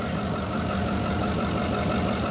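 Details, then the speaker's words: Brockway 358 truck, Cummins 555 diesel, after valve adjustment: steady idle with even clatter, no knocking or missed beats; still smoking/hazing, owner suspects 25-year-old fuel or more likely the fuel filter; sounds awesome. "not even the fuel probably the fuel filter so i think it sounds awesome"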